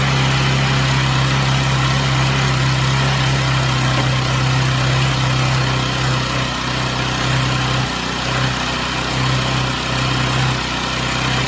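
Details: Chinese Amazon mini bike small engine after first start, warmed up on a table: smooth steady low idle, even putter, no stumbling or rattles; smoke stopped, idling cleanly.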